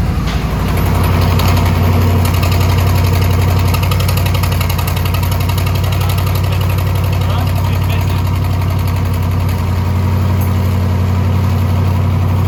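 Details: Twin-turbo SBC 350 V8 rat rod, freshly built, oil pressure held: loud low idle with fast fairly regular knock about four per second; something internal, owner suspects a valve hitting or something welded in the header dropped in.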